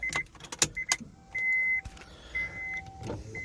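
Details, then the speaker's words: 2004 Honda S2000, 109,000 km, pre-purchase inspection, driver's then passenger power windows operated: even whirring runs about half a second each, starting and stopping cleanly, no grinding or straining; both windows work fine. "This is the driver's side window. Seems to work. Passenger side window works just fine."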